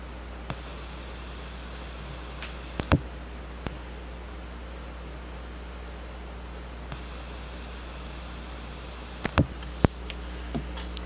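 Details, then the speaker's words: New Pioneer GM-D9601 1200 W mono class-D car amplifier, gains down, crossover low-pass, RCAs and bass knob unplugged, no music: pop at turn-on then steady hiss, unaffected by gain or crossover; cause unknown. "I get a pop when it turns on and then a hiss and I can't figure out what the problem is"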